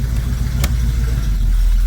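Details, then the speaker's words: 1973 Chevrolet Camaro V8 with automatic transmission, fully warmed up, just after timing set by ear and carburetor idle adjusted, idling in reverse: a deep, settled rumble that holds firm without hunting, with one brief click. Normal in-gear idle. "that's reverse that's about where you want it to idle in gear um cuz you don't want it to be dying at stop signs and stop lights"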